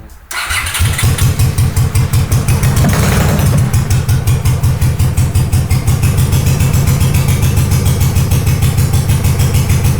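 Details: Honda GL500 twin, not started in over a decade, first start after a wiring loom rebuild with old oil inside: the engine catches and settles into an uneven, lumpy idle on full choke with wandering pulses. Rough idle on choke after long storage.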